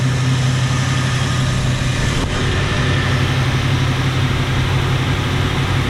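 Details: 1977 Jeep Cherokee Chief at 195 degrees, choke should be fully open: uneven, lumpy idle with slight stumbles. A pulled spark plug may be fouled; the Jeep has spark and fuel issues.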